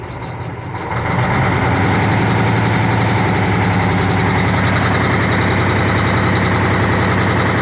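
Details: Cummins ISX 870 diesel truck after injector replacement and overhead adjustment fires up and holds a loud, slightly lumpy idle. Air connector off; owner suspects low air pressure; still sounds like a miss.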